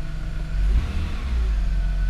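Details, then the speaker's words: BMW E46 325xi wagon, inline-six, revved with the covers off after crankcase ventilation repairs and all codes cleared: a clean blip settling into a smooth, even drone with no stumble or hunting. Owner says it runs like new. Normal revving. "runs like brand new wow listen to how smooth that sounds"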